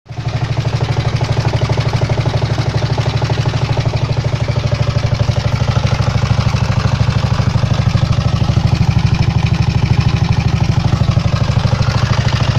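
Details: Engine knock on a 139QMB engine, appeared during a ride a few days earlier: steady idle with a hard, regular knock about three per second following engine speed; internal knock, source unknown.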